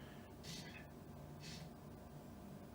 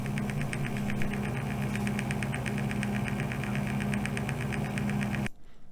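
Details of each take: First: can hear it's not making a single piece of rattling noise Second: PC case front fan spinning up: steady hum with a fast light rattling tick about four times a second at a certain RPM range, from a dry fan bearing.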